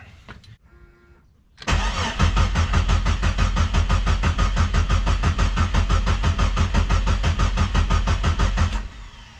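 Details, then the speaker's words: Jeep after fuel pump replacement, evap leak also present: steady churning cranking about seven seconds, never catches before starter cuts out; crank no start, owner suspects something not hooked up. "So something is either not hooked up. I have no idea what's going on, but this is how it goes in the Jeep life."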